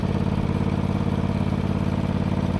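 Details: John Deere GT245 mower's small twin-cylinder engine chugs unevenly under load, low exhaust beat stumbling and clattery; running rich and misfiring, getting worse, better at low speed; owner suspects a spark issue or bad ignition coil.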